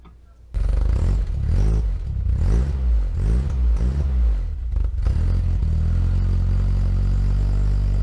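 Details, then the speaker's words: Mk1 VW Rabbit 1.7L on stock exhaust with catalytic converter, just after a fuel leak thought to hurt cold idle was fixed; catches, a few quick blips, then a deep, steady, even idle; normal running before cat delete. "got the fuel leak all stopped and just got you guys an exhaust clip of the stock exhaust"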